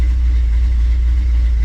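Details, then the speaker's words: 1957 Chevrolet Bel Air, 327 V8 with TH400, farm field find just revived: cold idle hovering around 900–1,000 rpm at 78 degrees, deep slightly uneven lope without knocks or ticks; normal lopey cammed idle expected to settle when warm. "I don't know what temperature it will calm down the idle a little bit. Definitely sounds like there's a cam."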